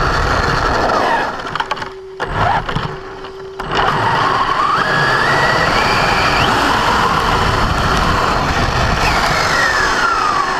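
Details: Brand-new Basher Nitro Circus 4x4 1/10 RC truck on a 3S 4000mAh battery: after a few starts and stops, a rising motor whine carries a steady rough grinding rasp under throttle. Only when accelerating, not in reverse or off the ground. Gear mesh adjustment didn't fix it.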